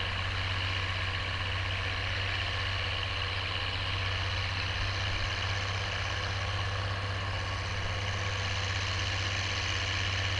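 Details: Oliver 1550 diesel tractor pulling a John Deere BW disk after whatever was in the fuel system cleared out; a steady, even drone with no misses, knocks or hunting. Normal running under load.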